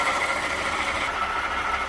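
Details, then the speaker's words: 2018 Jeep Grand Cherokee 3.6, underhood whirring complaint, idling, heard through a screwdriver held on top of the water pump: loud steady whirr with a high whistle; faulty water pump, later replaced. "Ooh, yeah. Ooh, doggy. That's loud. So I know the noise is coming from there because I checked everything beforehand."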